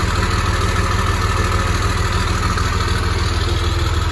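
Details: 1996 GMC 3/4-ton Suburban with Cummins diesel swap and exhaust brakes, started after sitting three days, air compressor running: steady, deep diesel clatter at about three pulses a second, smooth healthy idle with no odd noises.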